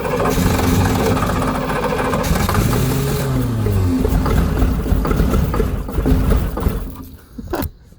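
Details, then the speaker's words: Volvo Penta 5.7 L boat engine with new spark plugs, fed starting fluid. It catches and runs briefly, then stumbles and dies. Runs only on starting fluid. "I was dumping this starting fluid as fast as it'll go it'll start that's good that's real good"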